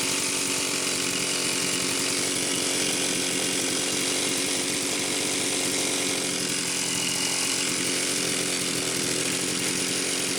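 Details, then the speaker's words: Homelite Super XL-925 chainsaw after a new piston and cylinder and a new seal, short test run. Steady, high-pitched two-stroke scream with no stumbles, excellent compression, initial smoke from assembly oil burning off; running normally. "okay Ken this is good excellent compression the initial smoke was the assembly oil burning off obviously this thing needs to idle a lot more"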